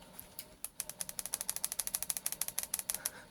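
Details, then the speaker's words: Quick, uneven run of dry, high-pitched clicks, about three a second, from the hard drive hammering as it seeks inside a decommissioned Sky ES130 box, about a 2016 model. It happened after a plugged-in keyboard worked briefly, then stopped. "And the hard drive is now hammering in there and I can hear it."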